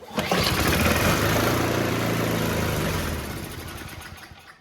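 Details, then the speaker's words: White (MTD) two-stage snowblower, 5 hp Tecumseh Snow Boss, unused two years with likely old fuel left in the carburetor, before carb replacement: pops into life, runs briefly with wavering beat, then dies; cuts out whenever choke or speed is turned down. "It might run. It does sometimes run, but you can never turn the choke down or the speed."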